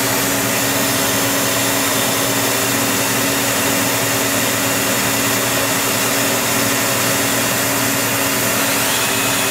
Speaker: at 4500 rpm and i'm two inches away from the main spindle you can hear that the bearings sound very very good